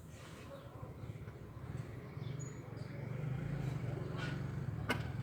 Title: Cold Start Rattle Sound - Toyota Altis Cruisetronic 1.6 SR